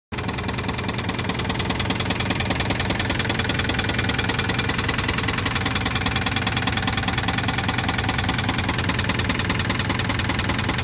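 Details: 2006 Jeep Grand Cherokee petrol engine at idle with a steady, fairly regular knock over the running noise; codes C0700, P0307 (cylinder 7 misfire) and P2097 received; engine knock at idle.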